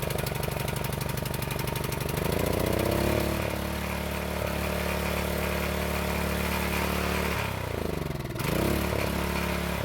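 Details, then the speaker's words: County Line tiller small single-cylinder engine that wouldn't start after storage with ethanol gas, now on fresh 100% gas: chatter picks up speed and holds even, dipping once and recovering cleanly; runs well. "So it took a couple of pulls to start up, but it seems to run very well."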